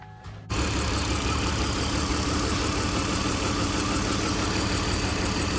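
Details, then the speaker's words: BMW E46 325xi with P1349 cylinder 4 misfire, idling with a spark tester in line showing spark present: uneven stumbling beat dropping a pulse; misfire owner attributes to low compression. "If you have low compression, because I have low compression, I already do that. I have low compression."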